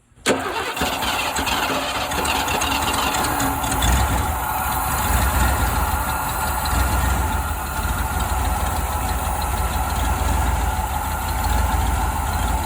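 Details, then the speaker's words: 1988 Ford Bronco off the road about 24 years, after ultrasonically cleaning and reinstalling its fuel injectors: catches right away after a brief crank and settles into a steady even idle, no knocks or misses. "then the Bronco finally started and ran after over 20 years"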